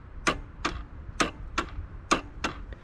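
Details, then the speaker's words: Yamaha Moto 4 ATV that sat over 20 years, neutral light on, pressing start: sharp single clicks about once a second as the relay clicks but the engine won't crank; only about 6 volts, bad ground or seized engine suspected. "see run where's the start button well the relay clicks and I can hear the starter"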